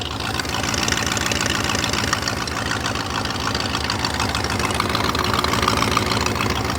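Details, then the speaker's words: 2000 BMW E39 540i M62B44TU V8 after sitting with rusty cam lobes and an unfinished timing job, first start: rough idle with sharp, fast puffing tick about three per second from the front of the engine; owner suspects exhaust manifold leak or missing manifold gaskets. "I think this car has like a a serious exhaust Le it sounds like the manifolds it sounds like doesn't have manifold gaskets"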